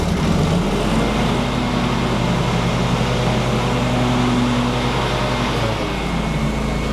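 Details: John Deere X380 with 48in Accel Deep deck after upper and lower deck belt replacement, brake off and deck engaged: steady engine drone, blades spinning smoothly, no slap, squeal or knocking; normal mower deck operation.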